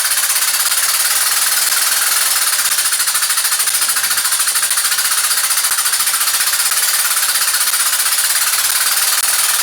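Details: Rescued engine rebuilt with donated parts, timing correct, 40 psi oil pressure: loud fast sharp hammering at a steady rate; heavy knock at number one cylinder, previously damaged, suspected wrist pin, not confirmed.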